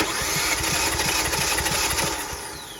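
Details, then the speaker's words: 2018 Kia Forte compression test, coil packs disconnected: even starter cranking about four beats a second, no weak beats; cylinder reads just above 180, healthy and consistent. "So, we got 180 on this one as well. It was It was just above 180."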